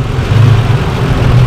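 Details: Holden Rodeo with a misfire complaint and engine oil found low: a steady low rumble at idle with an even beat and no stumble or miss. Normal idle.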